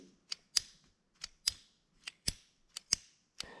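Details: John Deere LX186 riding mower, 17 hp Kawasaki engine, auction buy: with nothing else running, sharp crisp snaps roughly every half second as the carburetor fuel shutoff solenoid pulls in and releases normally; the solenoid leaks and needs replacing.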